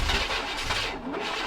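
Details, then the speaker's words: Vortec 5.7 Suburban cold start attempt, battery voltage a touch low, intermittent fuel pressure suspected from ground wire: steady cranking that never catches; crank no start, later traced to failed cam sensor. "That was a no-go, bro. I did notice the battery voltage was a touch low."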